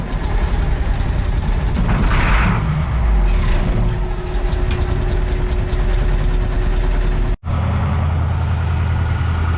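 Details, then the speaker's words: Caterpillar 3208 mechanically injected truck diesel on a cold morning, started with ether after its eight injector lines were cracked to purge air because there was no fuel. Deep, even rumble and clatter: normal idle. "so after about an hour finally got this thing to fire"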